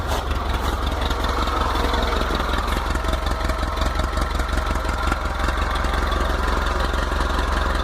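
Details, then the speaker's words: VW T25/T3 Devon camper on Weber IDF carbs with no choke, fresh cold start: steady, even low idle with a light mechanical patter and no misses or knocks. Oil pressure and alternator lights are out. "Obviously oil pressure light, alternator light is out, and that's completely fresh cold start."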